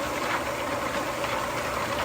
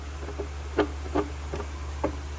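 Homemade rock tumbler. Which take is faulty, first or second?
second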